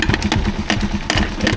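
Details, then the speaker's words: Rusi Chariot 175 motorcycle idling: single-cylinder idle with a loose, rapid metallic rattle on each firing pulse, first mistaken for the exhaust, from the air cleaner whose weakly welded thin flat-bar bracket broke loose; air cleaner rattle. "so ito yung maingay dito sa ating makina itong cleaner yon so maingay na siya"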